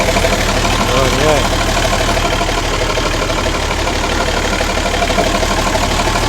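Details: Ex-Australian Army International ACCO 6x6 truck with a Perkins 6354 diesel, just started after bleeding air from the fuel lines: steady diesel clatter at even idle, about three beats a second, no misses, heavy wind hiss; normal idle.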